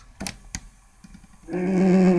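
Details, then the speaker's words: Japanese Fisher cassette radio after repair: steady tape playback, the earlier crackle gone, but the tone is warbly and drags low; the cassette plays slow. "صوت الكاست صوت الخرفشه اللي كانت موجوده اختفت لكن صوت بطيء"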